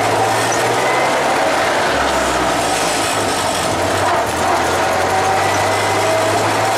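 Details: Traditional hot rod "Doris", run after manifolds and radiator were refitted and water and oil added: a loud, steady rumble with no knocking or misfire; the engine runs evenly.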